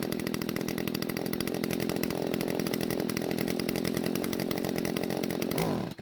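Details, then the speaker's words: Stihl string trimmer bought at a garage sale, with idle speed raised and the L screw turned a quarter turn counterclockwise past its limiter stop: raspy two-stroke buzz sags and cuts out when the throttle is squeezed. Mixture adjustment ongoing. Engine stalls when throttle squeezed. "Unfortunately, it still died, so I'm going to turn the L screw another quarter turn."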